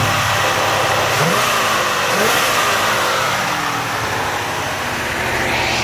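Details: 1971 Cadillac Coupe DeVille V8: smooth rise and fall through several throttle blips, even firing with no knocks or misses, sounds healthy.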